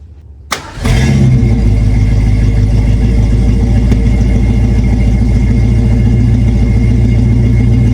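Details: 1976 Ford Granada, 351W V8, finished 3-inch exhaust with 2-chamber Flowmaster and flush-cut tailpipe: starter catch, then deep even burble with no misses or knocks; quieter than hoped but a nice, not obnoxious Flowmaster sound.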